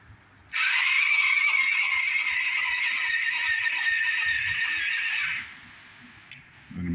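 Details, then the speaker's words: Xpro Bolt 125cc dirt bike during starter relay test with seat off: high starter whirr with slow labouring pulse about four times a second, never catches; weak cranking, no start, battery suspected being drained. "Sound like I'm killing the battery. This ain't trying to start."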